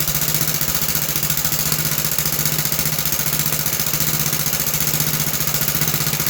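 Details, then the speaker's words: About 66-year-old 1960s English Suffolk single-cylinder engine after carb clean and new plug wire, started on choke: steady, even chuff of about 220 beats a minute with no misses or knocks; running well. "So my plan work to clean the car and the plug wire works very good and um overall it sound good."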